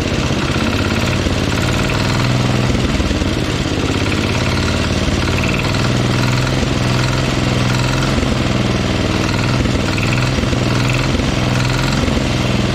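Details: Kohler 14 HP single-cylinder engine in a Minneapolis Moline 114 garden tractor, examined during teardown: steady run with a rapid, even tapping knocking in the top end, not the cover hitting; worn engine, suspected reason it wasn't starting.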